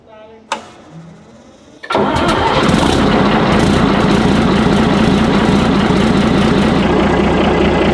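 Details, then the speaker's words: Chieftain tank's Leyland L60 multifuel opposed-piston two-stroke engine, restarted after years of sitting: a brief starter whirr, an instant fire, then a loud, steady, even idle. The start and run are healthy with plenty of oil pressure. "It sounds great, doesn't it? Yeah, okay. We've got tons of oil pressure, so happy days."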